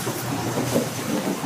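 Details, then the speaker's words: Ski boat inboard engine running in a boat house at high idle: steady, even drone with no knocks, misses or surging; sounds healthy. "And you can hear it. That's what it sounds like on high idle."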